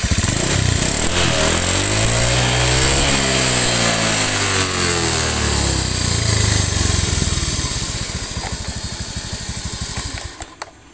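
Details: Honda Beat FI (K44) scooter losing oil without smoking, revved hard: sound turns coarser and rougher as rpm climbs, then drops away; worn piston and rings, piston skirt expected to be scored.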